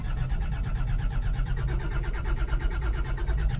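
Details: Land Rover Defender TD5 that stopped starting: starter churns with steady, slow, labored beat and engine never fires; long crank, no start. Owner checked injector sealing rings, found them fine and changed them anyway; cause unconfirmed.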